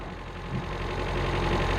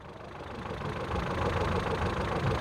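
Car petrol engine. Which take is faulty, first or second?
first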